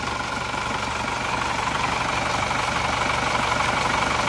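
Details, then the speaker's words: Diesel after engine overhaul with new piston rings, timing gear and nozzles; nozzles fine: steady idle clatter about four beats a second with a slight lumpy unevenness; better than before but still uneven, so the injection pump needs servicing. "kurang rata jadi masih perlu diratakan lagi ya Sudah mendingan sebenarnya tapi saya kurang puas lebih baik dibagusin sekalian"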